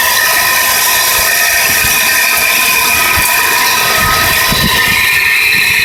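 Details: 1993 Nissan Pathfinder SE running with a fast, steady, ratchet-like metallic chatter, starting a few weeks after the timing and other belts were replaced; owner wonders whether the oil pump needs replacing. Engine ticking of unknown cause.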